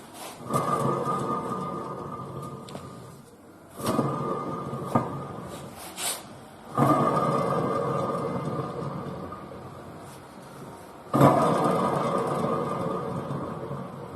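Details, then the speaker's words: Hyundai front wheel bearing that was noisy from about 40 km/h and louder with speed, removed on the knuckle with the brake disc and spun by hand: a coarse rumbling growl fading as it slows, four spins. The bearing is completely dry of grease. "才随便转动一下都可以听到很大的声音，里面完全缺油了。"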